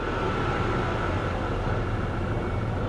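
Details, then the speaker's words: 2023 Corvette C8 1LT V8 at 78,721 miles: a deep idle with an uneven, stumbling beat, misfiring badly; owner suspects fuel injection, low compression or simply a needed tune-up. "it's definitely misfiring pretty pretty bad"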